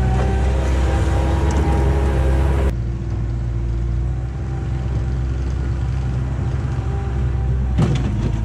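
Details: 1999 Bobcat 864 tracked skid steer after replacing right-side drive motor with rebuilt unit and refilling fluid, digging test: deep steady drone, even track drive, no knocking or grinding; normal drive operation.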